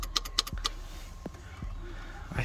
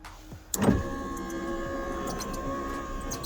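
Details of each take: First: Nissan 200SX S13 driver's door window: sharp clicks from the door relay with each switch press but no motor whir; cause was a cracked solder joint on the relay circuit board, fixed by resoldering. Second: Nissan 200SX S13 driver's window, after repairing a cracked solder joint on the door relay circuit board: smooth, even motor whir for about four seconds, then a clean stop; window now works normally.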